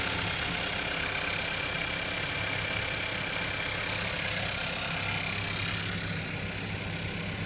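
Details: Skoda Kodiaq engine at idle: a fast, fairly regular light knock, roughly three to four per second, under a hissy background; source undetermined.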